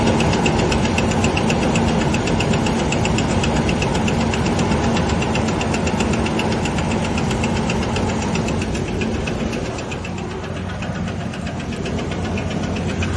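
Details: 2000 Ford Ranger XLT: idling engine with rapid, fairly regular ticking knock about four per second over the engine hum; owner says not crankshaft, not camshaft; source unknown.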